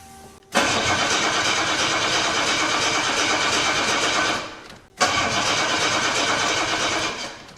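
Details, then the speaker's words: 1984 Jaguar XJ6 automatic, sat 20 years, running off an external fuel cell because the fuel pump gets no signal: two long bursts of steady cranking, no firing; low fuel, no spark or dead injectors suspected. "Huh, interesting. Absolutely nothing. So, either we still don't have enough in the tank or we don't have spark or injectors aren't firing anymore."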